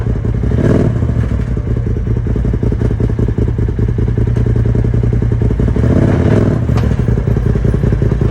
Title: Polaris RZR XP 1000 Turbo HELP ! Bad transmission, drive shaft, differential, clutch ?